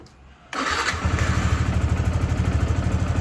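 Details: Yamaha R15 v2 motorcycle unused for years, first start after fitting spark plug: starts first try into steady, low, even idle with no stumbling; idle issue appears fixed, sounds healthy.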